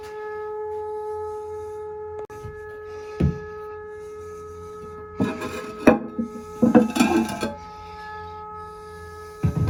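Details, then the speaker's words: Inside a home, a loud noise from the bathroom area that the customer thought was the toilet, going on for a couple of days. A steady low hum with clear tones over it goes away briefly when a faucet is cracked. The cause was a failed vacuum breaker diaphragm on a hose bib. "as soon as we walk in here you're going to hear a noise and by all means it sounds like it's coming from a toilet"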